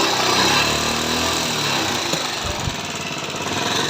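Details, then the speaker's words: Bajaj Pulsar 150 with very bad engine sound and heavy white smoke: loud, clattery single-cylinder run with fast, uneven top-end tapping over exhaust; rocker/valvetrain noise, tappet cover to be opened to inspect parts. "इस bike की engine की बहुत ही ज्यादा खराब sound है"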